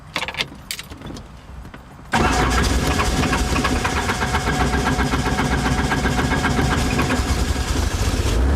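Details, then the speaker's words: Helicopter start attempt: sudden loud uneven roar with rapid pulsing about four per second that never settles into a clean run; owner attributes the failed start to a flat alternator not switched on immediately. "the alternator it just had no power and it wasn't keeping the engine going because i hadn't got the alternator on immediately"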